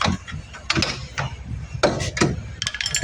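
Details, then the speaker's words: Chevrolet Spark with new underbody parts still clunking over bumps on passenger side: loose metallic clacks as caliper is rocked by hand; worn, thinned brake caliper sliding pins with excessive play rattling. "Kakasalak-saldak yan yung mga sliding pin natin talaganginipis ah. nagco-cause ngay mga boss."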